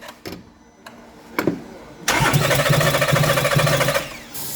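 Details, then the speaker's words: 2014 Porsche Cayenne (92A) that won't start or stay running: about two seconds of cranking at roughly four even beats a second, throttle held open with spray, then it stops dead. Abnormal cranking, no start; the mechanic dislikes the sound. "go again no no the way it sounds i don't like it the way it sound i don't like it listen to the sound"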